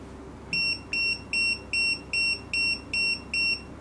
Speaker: okay you can uh you can feel you can feel the buing mood uh is in the fastest speed